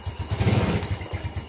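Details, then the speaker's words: Motorcycle after a starter fault, fixed by reconnecting a disconnected wire: starter cranks briefly with a quick even chug, then the engine catches and settles into a steady low idle; normal cranking and start. "ini starternya udah nyala lagi."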